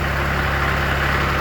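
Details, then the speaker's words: Kioti CS diesel tractor, previously hard to start, after dealer replaced a bad relay, cold start at about 57°F: steady even low rumble, no misses, knocks or hunting. Normal idle. "it's about 57 degrees thought I would get it out and try to crank it up this morning so let's give it a try she's cranking up sounds good to me"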